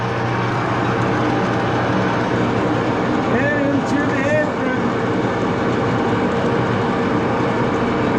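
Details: Axelson lathe with open-end gear train running through the gearbox, after rear Timken spindle bearing adjustment: steady level gear hum and drone through the headstock, no knocking or grinding; spindle runs smoothly.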